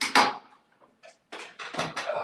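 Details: Piano, high treble section: striking the key gives a short dry crunch and clatter instead of a clean note, from a broken hammer shank, typically caused by someone holding the key down.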